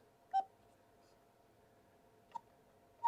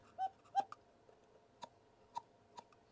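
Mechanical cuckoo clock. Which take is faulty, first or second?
second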